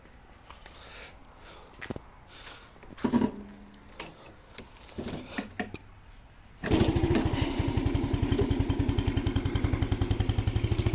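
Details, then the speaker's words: Yamaha Spark Nano scooter after fixing oil pushed out the breather and white smoke caused by overfilled engine oil: oil changed, oil-clogged air filter replaced, carburettor and exhaust cleaned; engine starts and settles into a steady, even idle with no misses or knocks. "แรกแค่สตาร์ทมันก็จะควนเลยนะครับe"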